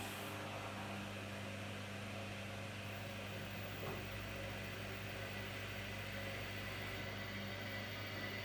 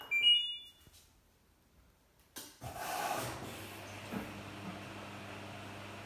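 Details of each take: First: LG F1496AD5 washer dryer after replacing failed drying fan that struggled to start, final test in front of machine: quiet, steady low hum, no rubbing or rattle, one soft click near end; fan sounds healthy. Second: LG F1496AD5 washer dryer on timed dry: a couple of beeps, then a low steady hum that never builds into a fan rush; the dryer fan struggles to start, seized again or lacking power, so it is being replaced.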